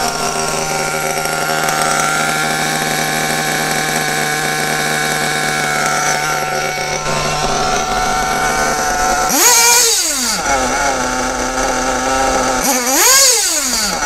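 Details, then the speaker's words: Kyosho RB One TT8 nitro buggy, RB engine: the acceleration (low-end) needle is closed too far, so at full throttle the high buzz stumbles and sags twice, a lean cutout from too little fuel; fix is reopening the needle. "Alors là, j'ai un peu trop fermé quand j'accélère à pond. Là par contre, le moteur coupe. Voilà, donc il y a pas assez d'essence à ce momentl."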